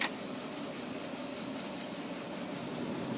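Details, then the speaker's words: 1962 Cadillac Coupe deVille with engine running, heard from inside car: AC blower fan running, blows cold, already converted to R134. Steady even airy hiss, no rattle or whine; normal blower operation. "can hear the fan motor blowing, blows cold. R13004 converted already."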